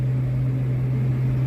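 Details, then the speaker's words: HVAC outdoor unit condenser fan motor, rated 2.8 A but over-amping and tripping the unit on high head pressure: loud steady low hum with rough drone underneath, no speed change; failing fan motor needs replacing. "It's making all that noise and it's pulling 2.8 8 amps. So, with the noise and it being over the amperage that it's supposed to pull, lets me know that this fan is bad."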